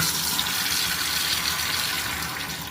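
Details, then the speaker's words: Universal digital gas water heater with gas and power present but not working: only water rushing from the open tap, no ignition ticking; the igniter does not fire. "المفروض يبقى في صوت تكتكه او صوت الاشعال والاشعال مش شغال"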